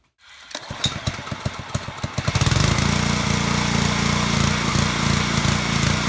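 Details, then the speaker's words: Small petrol engine on a pressure washer starts, then surges and hunts at idle with its RPM fluctuating up and down. Annoying but harmless. Cause is a clogged carburetor pilot jet. "so you can clearly hear that right there RPMs are going up and down like that it's not gonna hurt your engine it's just really annoying when it does it"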